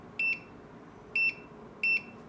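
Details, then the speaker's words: Retekess TD173 pager system keypad with notice mode set to 1 (beep): three short, clean high-pitched beeps roughly a second apart in a quiet room, confirming the keypad's beep notice mode is working normally. "And the 1 means confirm. Okay, it's beep, so if you change to 1, it will beep again."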